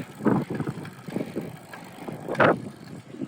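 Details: Extralite CyberRear SPD3 bicycle rear hub while riding: irregular dry creaks and squeaks from a worn freehub body bearing (6803); fixed by full teardown and bearing replacement.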